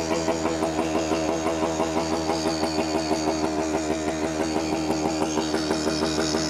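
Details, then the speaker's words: 1973 Suzuki TS250 Savage two-stroke after 20+ years in a barn, first ride: burbling, uneven idle throbbing about three times a second with a soft wet note, running too rich, possibly with the choke left on; carburetor needs adjusting. "I think the choke is still on. Too rich."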